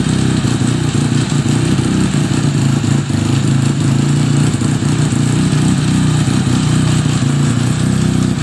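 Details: 1975 Suzuki RE5 rotary, just fully restored, idling with a steady low drone and an uneven clattering from the gearbox side; abnormal transmission noise, cause unclear, engine to be removed to inspect the transmission internals.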